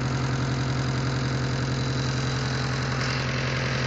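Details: Mitsubishi Eclipse 4G63T at even idle with a regular light tick, about three per second; owner unsure whether it is lifter tick or a spun bearing.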